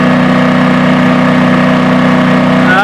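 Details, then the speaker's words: Firman WH03242 4000 W dual-fuel inverter generator running an RV's 13,500 BTU air conditioner: steady drone with a constant mid tone holding even under load, no surging or hunting; voltage holds and the overload light stays off. "the ac just clicked on uh don't know if the compressor is on but the air conditioner still excuse me the generator is still running and we're waiting for the compressors"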